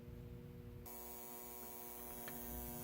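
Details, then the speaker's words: Speaker output transformer from a 1947 Sentinel 294T radio, leads connected directly to a 120 V outlet, still only four or five volts on the secondary: loud steady low hum that never wavers; mains hum, something wrong with the transformer. "know what's going on but it's still making four or five volts but listen to that hum you don't want that in a radio"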